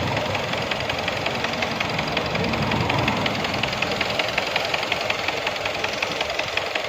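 Steady running engine with an uneven knocking under it, roughly two to three per second, cause not clear from the sound alone.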